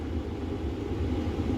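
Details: Trailer propane furnace lit by jumping the thermostat terminals (new thermostat suspected faulty): steady low rumble with even whoosh, no ticking or surging; burner holding steady flame.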